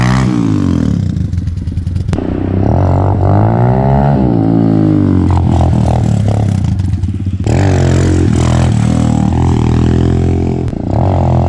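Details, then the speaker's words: Dirt bike after a bogging fix, not fully warmed up: small single revs clean up and down through the gears with crisp throttle pickup and no bogging or stumble. Normal running. "all right just to show you how it should run the bike wasn't even fully warmed up right there which it can still seem a little hesitant when it's not fully warmed up"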